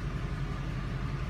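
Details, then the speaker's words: Chrysler engine idling about 700 rpm during a Matco MaxMe injector kill test; cylinder 2 contributes nothing, while cutting injectors 3 to 8 nearly stalls it. Uneven, lumpy exhaust pulse; catalytic converter already troubled. Misfire, dead cylinder 2. "Number two, hit it, and it doesn't change at all. It stays right at 700. So that's, I know cylinder two is not contributing at all."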